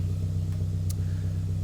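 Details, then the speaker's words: 1995 Toyota Celica GT4 idling, not yet warmed up, after a fix attempt for a fuel pump that whined after about 10 minutes of driving: steady, even low rumble with no pump whine or hum. "Fuel pumps down here. Can't hear no whining. Can't hear no whining. None of that rubbish."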